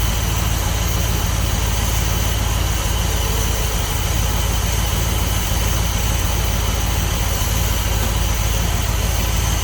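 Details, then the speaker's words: 1976 Dodge D200 after tune-up with new cap, rotor, wires and plugs plus oil change, timing not set (no timing light): steady even low idle rumble, no lifter tick, knock or miss; normal idle. "Sounds good. Like there's nowhere lifting on. There's no knocking. It's not missing."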